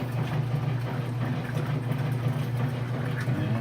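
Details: Kenmore 500 washer (model 110.29592801), after clutch reassembly and thrust washer replacement, agitating with water and clothes: steady even low motor hum, no grinding or scraping, clothes no longer wrapping around the agitator; normal agitation.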